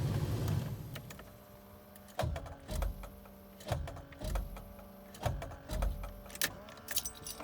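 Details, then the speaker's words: GM truck TBI 350 V8 that died while shifting at about 45 mph under throttle is now seized solid; turning the key gives repeated single starter clunks with no cranking. "this thing is just completely locked up solid i'll grab the key now you'll hear the starter clunk but you won't hear it"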